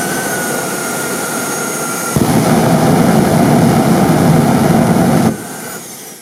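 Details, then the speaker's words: Homemade turbine jet motorcycle afterburner with a new injector: steady turbine whine jumps to a deep rough roar for three seconds, then drops away. Over-fuelled because the new injector needs very little pressure; the fuel valve was then closed almost completely. "Yes, I agree. It's too much. As it turns out, the new injector requires very little pressure."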